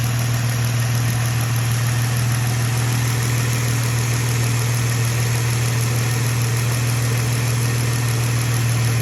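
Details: 2015 Jeep JK with 128k miles at steady idle; about halfway through, a faint thin tone and extra hiss come in over the deep hum, an intermittent engine bay noise. Finding: intermittent engine bay noise at idle.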